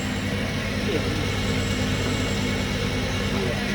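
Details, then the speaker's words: Screw-type coconut milk press pre-delivery test pressing pulp already run dry 2-3 times: steady low motor hum, even drone, no labouring or knocking; motor not loaded, normal running under light load. "อันนี้ขนาดกากแห้ง2-3รอบไม่โหลดเลย"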